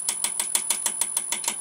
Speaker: okay i'll just show you so you'll hear a bit of thumping and that's not actually hitting at all that's hitting the back this bevel here okay so right down here that's hitting the bevel